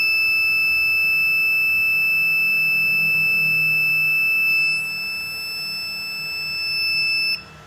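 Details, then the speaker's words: Ender 3D printer with newly replaced hotend: single unbroken high-pitched beep for about seven seconds at power-on only when the hotend thermistor wire is plugged in; fixed by slightly loosening the thermistor pin screw counterclockwise. "if i unplug this thermostat wire like this it's hard like this i will not have problem if i turn on this 3d printer okay this is okay but if i plug the wires again it will have problem i turn on it will have sound deep sound"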